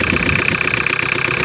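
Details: 1985 Ford Escort diesel, Mazda RF 2.0 engine, first start after sitting three years, not revved: even clatter at steady idle, no misses or deep knocks; healthy idle.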